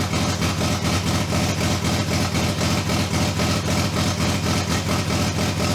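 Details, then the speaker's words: Toyota 2JZ in a Datsun, restarted after VVTi rebuild; high uneven idle with lumpy pulse about twice a second, owner suspects misfire or not all cylinders firing; cause unclear. "all right so as you all can see we actually got the car started in this episode however something sounds like it's misfiring or not firing on all cylinders"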